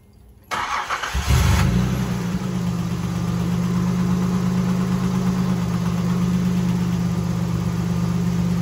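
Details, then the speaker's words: Nissan 300ZX Z31 just after a tune-up and oil/filter change: cranks, catches within a second, then settles into a steady, even low hum with no misses or ticks; normal healthy idle. "Sounds like the engine is in shape."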